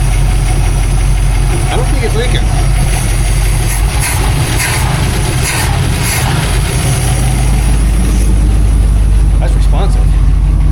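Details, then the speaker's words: 1959 Plymouth Fury V8 after new fuel pump and oil filter seal fix, leak cured: deep, steady rumble with an even beat and no knocks or ticks, slightly smoky. Healthy normal idle. "It runs It runs good. It sounds good. The motor doesn't make any weird noises it's not supposed to make."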